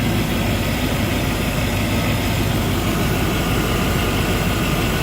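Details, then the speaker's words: Petrol V8 idling steadily with an even low rumble and no knocking after its blown motor was replaced with a used engine from a Suburban; sounds good now. "No more knocking. She sounds good."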